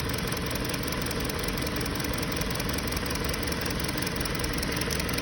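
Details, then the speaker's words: 2020 Hyundai Sonata, check engine light on, steady idle rpm: lopey stumble about three beats a second, dead-cylinder shake; scanner shows cylinder 2 misfire, spark plug and coil checked good, injector suspected and checked on scope. "فالحين شوفوا، شايفين المحرك كيف يهتز؟ واضح الاهتزاز فيه. واضح شيء."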